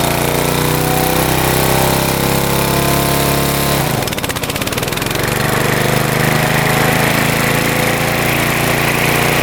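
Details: Mower after idle adjust set all the way out for higher RPM: steady hum, sags briefly as blades engage around four seconds, then recovers and holds even speed; blades spin faster, running right.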